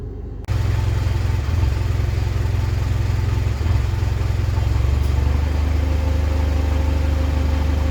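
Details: 2010 Mitsubishi Pajero NT, idling, misfiring at random at idle and while driving, persisting after carbon cleaning, flat spot from standstill: slightly uneven beat with occasional brief dips; intermittent misfire, cause unknown.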